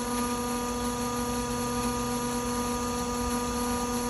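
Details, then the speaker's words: Propane fuelling pump running loudly while filling a Ford Econoline 450 21-passenger minibus: steady, even mechanical hum with fixed whining tones and no surging; normal pump operation. "Je vais m'éloigner juste parce que c'est bruyant, mais on prend tout le temps des gants pour tanker à propane."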